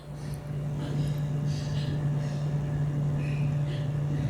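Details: PC fan spinning at high speed, heard close up: steady low hum with smooth airy rush, constant pitch, no rattle or ticking; normal fan running at high speed.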